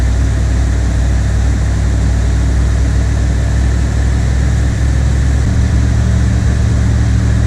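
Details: 1979 Chevrolet Corvette C3 V8 cold start at its newly set cold fast idle speed, now correct; owner notes it sounds a little different from last time despite little adjustment. Steady low rumble easing slightly near the end, smooth and even; healthy.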